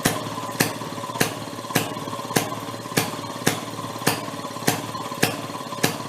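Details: 1937 Maytag two-stroke washing-machine engine: switched from closed to open it started breaking up, sharp loud pops roughly every half second over a light running sound, kicking out a lot of fire; owner hopes the rings aren't burning up.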